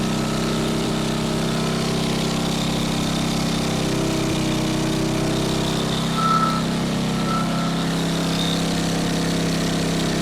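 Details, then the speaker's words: Salvaged single-cylinder go-kart engine with old cleaned carburetor, after point gap adjustment: smooth, steady drone at idle with no surging or misfires; air filter suspected earlier, still hesitates under throttle. "Maybe the air filter's not giving it what we need. That should be it. Sounds good."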